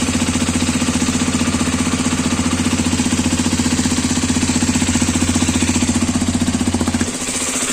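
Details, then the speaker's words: New Hero Xpulse 210, January 2026 batch, at pre-delivery inspection: small single-cylinder idle with hard regular tapping knock about three per second; engine also leaking oil at a joint; cause unknown. Engine knocking. "But इसमें problem बस यही है कि engine main part होता है bike का और उसमें ही इशू आ रहा है। नॉकिंग साउंड है और ऑइल लीक हो रहा है।"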